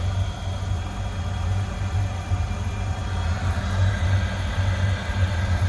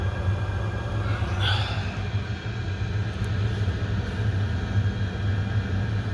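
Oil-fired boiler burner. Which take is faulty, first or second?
first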